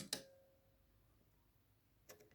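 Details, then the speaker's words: Yamaha A-460 stereo amplifier, right channel fault: moving the STK3042 MKII output module makes the protection relay click twice, indicating DC on the output from cold solder joints on the module terminals; fix was resoldering them. "So every time when I move this component, you see you can hear also the protection relay. So that means it's a DC voltage somewhere there."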